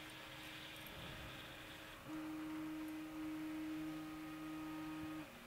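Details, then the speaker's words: A8 3D printer running during a live print; steady mid-pitched motor tone in a quiet room; the printer is noisy, cause not clear. "that A8 makes some noise. I'm not sure if you can hear it."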